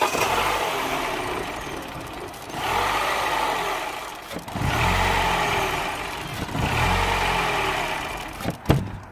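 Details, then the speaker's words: 2007 Mini One 1.4 petrol (N12), error 2982, stalling; engine restarted while back-probing the second camshaft sensor, whose signal is bad. Idle swells and sags about every two seconds, never steady: idle hunting from a faulty camshaft position sensor. "Okay, so that's not very good, as you have seen. And just to prove that my sensor is 100% faulty, let's just do one last thing."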